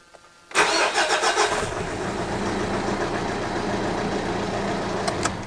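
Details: Mitsubishi Triton 4D56 diesel with cold-morning hard starting, three of four glow plugs found open circuit: short crank, catches within about a second into a steady even idle, normal start and idle.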